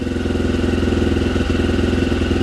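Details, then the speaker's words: 1987 Honda XL250R RFVC single-cylinder barn-find dirt bike, after years sitting, slightly warmed but still cold, small revs: even quick idle thump, no knocks or rattles, quieter than usual for this engine; normal idle. "very powerful sounds really good the engine's so quiet normally they're a lot noisier"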